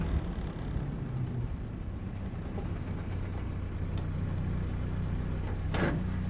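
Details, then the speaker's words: 77-year-old Willys Jeep, engine hot and idling right after being driven and stopped: steady, even low idle with a smooth beat, no sputtering, stumbles or misses; normal hot idle, engine running sweet. "so it's not you know sputtering not sputtering or doing anything weird straight away from going from hot driving to just suddenly stopping so that's really nice the engine is really sweet"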